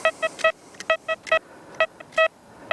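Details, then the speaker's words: XP Deus mk1 metal detector in tracking mode, ground balanced on waterlogged ground near power lines that cause chirping: short, faint but definite clean beeps on a copper penny at 12 inches depth. "on that uh copper penny at 12 in. Now, I've used a lot of machines and I can assure you there's plenty of those that wouldn't pick that coin up."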